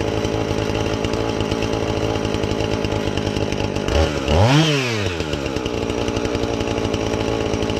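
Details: Husqvarna 450 X-Torq chainsaw that wouldn't run, new chain and bar fitted, started to check and adjust the carb (special adjusting tool bought): steady high rasping two-stroke with one clean rev that settles back, no stumbling or surging; normal running.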